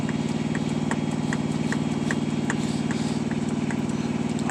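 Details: 2018 Peterbilt 579 diesel, long-standing no-fuel-prime hard start; priming pump assembly just replaced by the dealer, air seen in the fuel filter: steady starter cranking with regular clicks but no catch, engine won't fire; hard start, likely fuel starvation.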